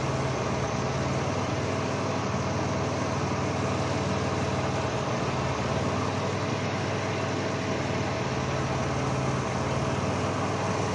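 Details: Caravan petrol engine idling with a slightly uneven loping beat: cylinder 1 misfire (P0301) from an open ignition wire forcing the coil to fire about 40k volts.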